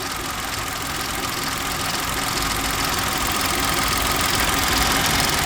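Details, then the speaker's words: Three-injector engine idling: a fast, fairly regular light rattle over a hissy background. An earlier squeal that rose and fell with revs is gone, but the rattle remains; its source is not pinned down. "But there's nothing here now. It's just that rattle. The rattle's still there."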